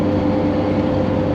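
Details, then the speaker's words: Revived Jeep XJ with a new exhaust and sway bars, driven around: a steady low groan drones evenly under the road noise; owner suspects a roasted rear differential. "However, you can hear that big groaning noise. I think I roasted the rear diff."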